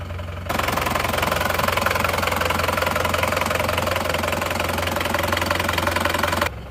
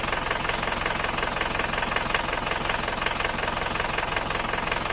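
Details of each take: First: Isuzu Panther diesel; nozzles 2 and 3 still leaking, not yet fixed; steady, even, regular idle clatter with no knock or miss; normal idle. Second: Isuzu Panther diesel from Kras, Kediri, at cold start with thin smoke; owner finds it rougher than before; a steady, hollow tek-tek knock just under three per second, from pistons striking the cylinder walls; piston slap.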